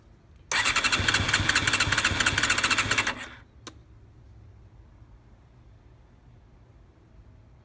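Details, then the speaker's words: 1990 Honda CBR 600F four-cylinder on carburettors, started on choke without starter fluid: it catches and runs rough with a fast, uneven beat for under three seconds, then cuts out and dies; owner suspects it is out of fuel. "More of the choke. Oh, she might be dry. She's probably out of gas."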